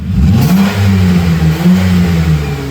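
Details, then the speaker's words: Chrysler Town & Country revved in a cold shop: loud, buzzy, raspy exhaust leak from a broken, cracked, rotted front muffler; fixed by replacing it with a new muffler. "It's got an exhaust leak. You can hear that."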